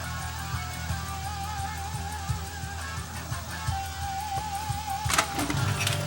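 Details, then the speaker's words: Rotel RCC940 CD changer: music plays steadily then breaks into a sudden jumpy glitch around five seconds in; skipping on playback, disc seemingly sticking, expected worse toward disc edge; cause unknown. "So we have a skipping problem on this one. You can hear the sound. Looking at the disc itself, it almost looks like the disc itself is it's sticking here."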